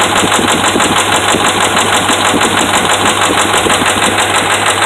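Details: Dodge Ram 5.7 Hemi V8 running with steady hard knocking about three times a second from bad connecting rod and crankshaft main bearings.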